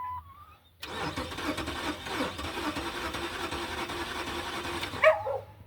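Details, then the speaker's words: 2006 Dodge 1500 cranking after a battery replacement: the starter churns about four seconds without catching, then a sharp pop as it backfires through the intake. Injector pulse was seen; fuel delivery is suspected, not confirmed. "We had it and then it went away. Backfired out of the intake, too. Did you hear that?"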